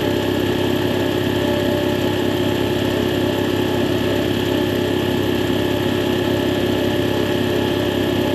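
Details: Air compressor (training unit, no belt guard) on its test run after the faulty check valve was replaced and the unloader retightened: an even, steady motor drone with a regular pulse of about three beats a second and no hiss.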